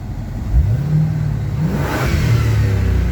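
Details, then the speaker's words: 1987 Chevy Camaro Z28 TPI revived after sitting, one cylinder had been full of water: deep, clean revs rising and settling smoothly with no knocks or misses. Pressure is good, but it is likely low on coolant and leaks until hot. "sounds good well pressure's good a great sound of motors but uh just just something else to work on it"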